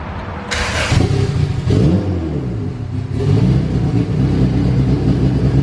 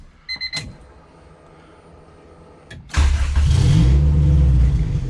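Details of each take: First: Honda Civic Si EK coupe, bone-stock B18C1 GSR with Precision turbo, new BKR7 plugs, high-impedance injectors checked: catches and revs unevenly, stumbling between blips, smells "like a pumpkin", "sounds cam"; rough rich running, fuel pressure regulator at 30–35. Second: Honda Civic Si EK coupe, B18C1 GSR swap with Precision turbo, after tune refined: dash chimes, quick crank, catches instantly and settles into smooth steady idle; air-fuel ratio "pretty dialed", healthy start.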